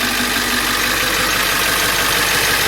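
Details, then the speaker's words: Ford E350 7.3L diesel van, crank-no-start with a blowing ECM fuse, after the short was isolated: cranks and starts, then a steady diesel idle with even clatter and hiss, no stumbling; fuse no longer blows. "so now i'm gonna crank it and it should start now are you guys curious so let's see so right there guys the van is now running okay are you guys convinced"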